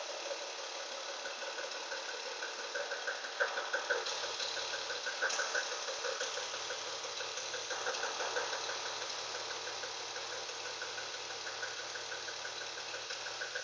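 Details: 1998 BMW E36 328i petrol engine idling with a steady, light knock about three times a second, cause unknown.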